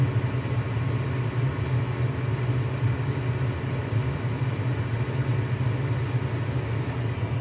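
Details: Lennox furnace in heat mode: smooth constant low hum and rumble, no squeal, rattle or surging; normal furnace operation on heat.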